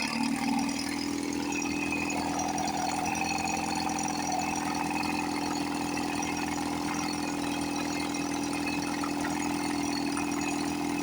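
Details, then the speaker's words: 1954 Johnson 5.5 HP two-stroke outboard after carburetor rebuild and low-speed needle adjustment (1.5 turns, in until RPM rises, back a quarter turn): steady even burble at constant speed with no misses or surging; idles smoothly and sounds healthy. "This motor sounds really good. Unbelievable."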